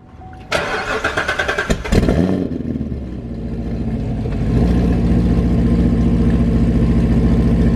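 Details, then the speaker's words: Supercharged Lingenfelter C7 Corvette Stingray with 1500+ hp-capable Premium KDI direct-injection injectors, true cold start after sitting 20 hours; quick crank, sharp catch and flare, then steady even high idle with deep burble, no misses; normal cold start and fast idle. "we're gonna start it up and we're just gonna show you guys what the startup idle and drivability is like even at these extremes of the DI fuel system so like Sam said it's been sitting there for a while it's a true cold start the engine is a couple is completely cold"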